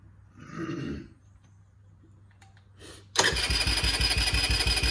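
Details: 2009 Eton Viper 70 4-stroke 70cc ATV, choke off: catches after about three seconds and settles into a quick, even, steady putter; it starts right up but needs a battery connected for the CDI circuit to keep running; normal idle.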